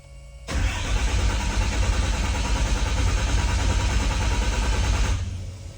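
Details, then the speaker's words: Freshly rebuilt engine with Total Seal rings and higher than normal compression, cranked with injectors disconnected while watching oil pressure: slow, labored starter cranking about three beats a second for five seconds, no firing; hard to turn over but normal. "It takes a lot of engine, like starter power, to turn this over. We got a higher than normal compression."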